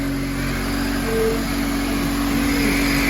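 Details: 2003 Honda CR-V (K24) after repair (AC compressor clutch, timing chain tensioner, oil pan gasket, engine reseal): steady even hum with a strong rush of fan and air, no rattles or ticks; engine runs smoothly and healthy.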